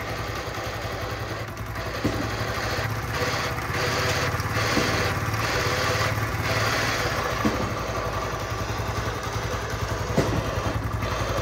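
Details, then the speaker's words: Chinese motorcycle running: a low droning hum from the engine that rises when the clutch is pulled, pointing to worn engine bearings. "जब हम साजी clutch दबा रहे होते हैं तो क्लच दबाने के बाद इंजन से आवाज़ आ रही है घू घू की।"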